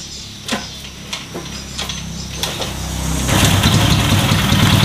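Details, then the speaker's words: Honda Revo that had a misfire ("brebet") and would not start, after an injector replacement and TPS adjustment. A few cranking bursts, then a smooth, steady idle with no stumbling and no throttle needed: normal idle. "ini nyala ya gak usah saya gas motor langsam normal"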